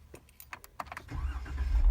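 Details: Jeep after intermittent no-start, engine warm with coolant at 204°F after driving home from work, in park: keys rattle, a short crank, then it catches straight away into a steady idle; normal start and idle.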